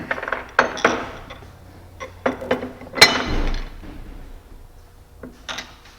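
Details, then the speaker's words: Downhole oil well rod pump after teardown, cleaning and reassembly: loose metallic clinks and rattles as the assembly is shaken, the ball chattering freely on its seat, showing the valve is clean. "okay that part's done you hear the ball seats in there chattering so everything in there is clean"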